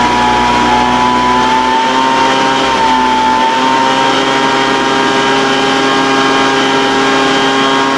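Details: Older Craftsman 200mph two-stroke blower, sat unknown time, restarted after the high-speed mixture was opened slightly: high steady buzz whose pitch wavers a little early, then holds even. High-speed mixture hunting; carburetor acting funny after sitting.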